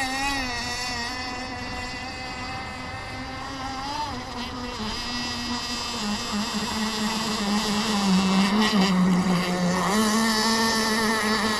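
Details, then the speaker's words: Kyosho Jetstream 1000 nitro boat, GT32 marine engine on the water: steady high buzz, wandering, rising late without crisp top end; running rich after earlier too-lean setting. "well oh well as Hy says she's running rich and"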